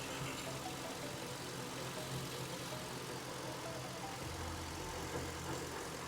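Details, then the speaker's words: 2005-2014 Ford Mustang V6 after an aluminum thermostat housing replaced the cracked plastic one and coolant was refilled: quiet, even low idle hum with no ticks, knocks or misses while warming up; no leaks. "all right guys and that's it as you guys saw there are no leaks everything's running great"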